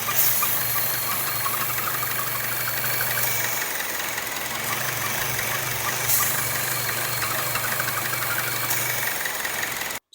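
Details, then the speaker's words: Chevy Cruze 1.4L with codes P0106/P0171, engine cover off: idle carries a constant airy hiss and whistle over a faintly uneven beat; vacuum leak from holed PCV valve diaphragm in the valve cover, fixed by replacing valve cover. "have a bad pcv valve it's located in the valve cover and it's going to make your car sound like it's whistling and doing all weird types of things including idling really weird let's take a listen"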